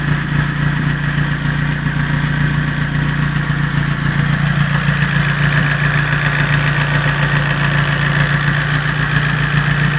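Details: Toyota 5A engine at steady idle with a light, even ticking about twice per second, valve clearance tapping.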